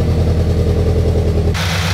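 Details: 2014 Subaru BRZ after checking all exhaust bolts and fitting a new torqued header bolt: deep steady idle, even low rumble, no popping or ticking at headers; exhaust leak fixed, sealed.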